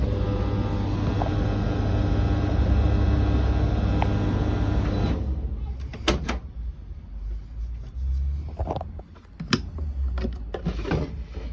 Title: BEKO tumble dryer making some strange noise lol